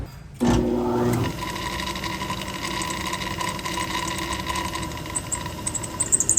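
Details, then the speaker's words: Good used low-mileage OEM Honda S2000 alternator spun on a parts-store test machine: a rising whine suddenly drops away, then uneven ticking. It binds intermittently, as it had stopped the motor on the car; something loose inside is suspected. "Yeah, I don't know what it is, but it happened on the car. Like it just stopped the motor. Yeah, it just did it again a second ago."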